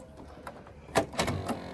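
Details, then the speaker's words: Right-hand-drive 1999 Peugeot 306 cabriolet that won't start: short burst of sharp clicks and thunks as the door locks actuate together on the key; central locking working normally. "Централка срабатує. Сейчас я обведу. Централка сработає."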